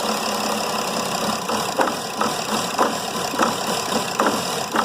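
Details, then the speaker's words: Mercedes E320 CDI diesel daily driver, EGR unplugged and in limp mode: idle stumbles with irregular thumps and barely stays running while the EGR is held open; the main cause was later found to be a disconnected swirl-flap linkage starving the engine of air. "barely stays running and it does that it sits there for a while and the the EGR itself will hold itself in that position for uh several seconds when I start the car"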